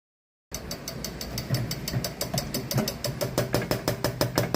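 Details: Komatsu PC200 excavator diesel, previously cranking but not starting, after full rebuild of all six fuel injectors and solenoid replacement: runs on its own with a steady clatter about three ticks a second, no misfires or stumbling. Normal running.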